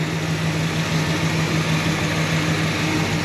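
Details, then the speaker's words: 1978 Dodge D150 pickup idling: smooth, even idle with a steady low hum, no ticking, knocking or hunting; truck runs good and engine sounds good. "Truck runs good, the clutch shifts perfect, engine sounds good, it's clean, not much body problems on this car."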